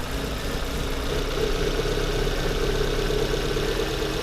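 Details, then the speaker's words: Volvo S40 with an uneven, lumpy idle, a low irregular shake and a steady hiss; a loose vacuum hose that doesn't seat tightly makes it run worse when disturbed, with idle speed floating. The engine also has airflow-meter and lambda codes. Vacuum leak. "Вот этот вакуумный патрубок вакуумный шланг во ещё хуже ему стало я его туда заткнул он ещё хуже стал работать"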